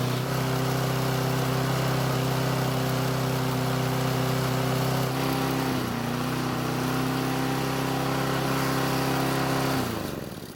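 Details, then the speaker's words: Toro mower: steady fast idle with slight waver in pitch and beat; engine speed set too high by earlier adjustment, starting improved but running still a bit uneven. "so the engine speed was set too high and that's my fault and that's because i was messing with it when the engine was running poorly i would have adjusted the speed then except i was away from my tools but i'll lower it when i get done filming at least it started better but it still runs a bit uneven"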